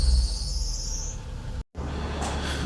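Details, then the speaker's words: Perodua Kenari idling just after alternator replacement and power steering pump refit: high shrill squeal climbing in pitch for about a second then dying away; power steering belt loose, possibly not seated fully on the pulley when adjusted. "Well, I'm not sure quite what I got wrong there, but that power steering belt is definitely not tight."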